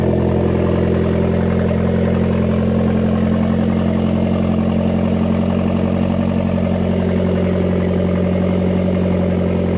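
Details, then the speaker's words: 2010 Hyundai Genesis Coupe 2.0T after head gasket replacement and new OEM turbo, downpipe missing so exhausting at O2 sensor: steady, even idle, constant low drone, no misfires; timing correct, healthy. "sounds pretty good though all right so gives you guys just saw it runs good we timed it correctly she sounds like she's in time firing well no misfires"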